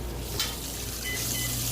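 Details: GE HE top-load washer in excellent condition, filling with a heavy jeans-and-towel load on the super setting, light cycle: steady rushing hiss of water into the tub, no motor or agitation noise. A normal fill with the lid up.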